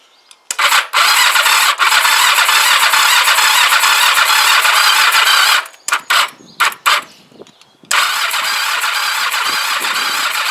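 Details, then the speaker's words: Kawasaki GPZ500S rebuilt engine just fitted to the frame after a stator change, weak battery, good fuel supply: long starter cranking bursts with pauses, never fires; no spark, and the owner suspects his stator work. "I have a horrible feeling I should check really I'm going to end up with no spark and it's going to be something to do with without [ __ ] around with that stator that I did"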